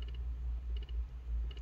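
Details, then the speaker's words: HVAC with hot air from one side and cold from the other: during actuator calibration, soft triple clicks repeat about every 0.75 s over a low hum as one actuator keeps turning; left blend and recirculation actuator calibration failed. "estoy escuchando todo el movimiento aquí de compuertas porque es necesario la calibración"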